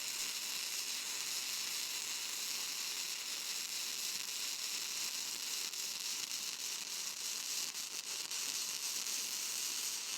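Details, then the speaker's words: Vertical-up flux core welding on 15.24 mm plate at slow travel speed: steady, even crackling sizzle with no chugging. Chugging means the wire stickout has grown too long, and pushing the gun in cleans it up. "When you hear it kind of chugging a little bit rather than just a straight sizzle, that's because my wire stick out's getting a little bit long, and by pushing it in a little bit, it cleans it right"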